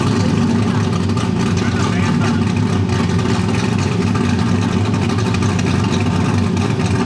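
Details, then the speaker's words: Supercharged small-block V8 in a car's first start with a new engine, the distributor possibly a tooth off: a loud, deep bark revving cleanly with no misses or knocks. Normal revving. "That thing is pretty loud. Sounds good though."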